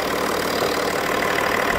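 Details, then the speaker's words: BMW M550d F10, 3.0 six-cylinder turbo diesel, idling after coolant leak repair and reassembly, first start while topping up coolant: steady, even, very quiet idle with no knocks, misses or squeals. "écoutez le douon on entend quasiment rien le 6 cylindres 3 l trurbo diesel de l'Apocalypse"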